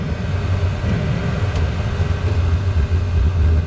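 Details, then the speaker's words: Diesel heater whose exhaust is routed with several bends: once the exhaust pipe is refitted, a low rumble pulses and surges instead of burning steadily. Combustion is unstable, apparently because of the restricted exhaust. "okay as soon as I put the pipe back on it starts acting up interesting very interesting"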